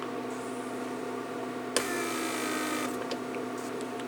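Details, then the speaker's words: 1999 Mercedes S-class S500 door lock PSE pump, repaired, bench test with a deliberate small leak: small pump hums steadily with brief hissing air; pressure leak keeps the pump cycling, which would burn the motor. "You hear how the pump cycles. This is pressure leak. See, there it goes. So as you saw, when you have a little pressure leak or a little vacuum leak, pump cycles."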